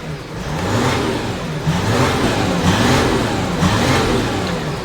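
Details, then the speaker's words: 2014 Audi Q7 3.0L diesel with P0087 low fuel rail pressure and P0272 cylinder 4 contribution codes, losing power. Idling after codes were cleared: rough, lumpy, surging idle and severe shaking. Misfire suspected. "but the engine is shaking severely I don't want to run this engine for a long time because we can damage we can potentially damage other components"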